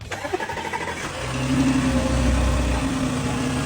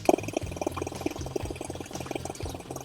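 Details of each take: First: Audi C7 2.8 engine after repair for a cold-start ticking noise from the intake camshaft side, traced to hydraulic lifters that had lost pressure: starter cranks briefly, engine catches and settles into a steady idle with no lifter or chain tick. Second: Audi C7 A6L 2.8 engine, cold start: fast light ticking over the idle hum from the intake camshaft side; a hydraulic lifter had lost pressure and could be pressed down by hand.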